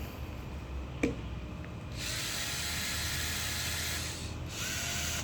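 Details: Drill in plain rotary mode, hammer action off, shown for comparison with concrete hammer mode: steady high electric whir with no pounding rhythm underneath; normal rotary drilling.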